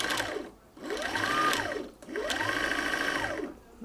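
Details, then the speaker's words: Sewing machine winding a bobbin after a messed-up wind: a fast whirring with a loose rhythmic flapping that swells and fades; it is just the bobbin flopping around, and nothing harmful is happening. "so hear the noise that is just the bobbin flopping around it's going to make a lot of noise nothing Horrible's happening"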